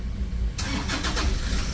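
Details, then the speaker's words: Toyota Fortuner diesel, bought used, had stalled while driving and would not start; now cranks, catches and settles into a steady low idle, starting normally. "มันของFCมีอยู่มีอยู่นะตอนที่มาคือไฟตัวนี้ไม่ได้โชว์นะตอนนี้เครื่องยนต์สตาร์ทติดแล้วนะ"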